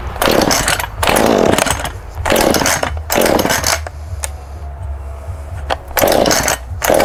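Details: Husqvarna 435 chainsaw after a tune-up with a new fuel filter and chain tensioned, started from choke and prime: revs cleanly in repeated bursts about once a second, drops back to a steady idle, pulls evenly; runs much better, healthy.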